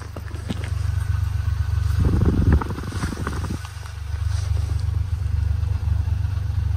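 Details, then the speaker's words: Car after fitting a new Delphi unit: low, steady exhaust burble with no popping or banging or stumbling; engine runs smoothly on all cylinders, though the engine light came back on. "Ah, so the engine lights come back on, obviously, when she drove home, but sounds a lot better."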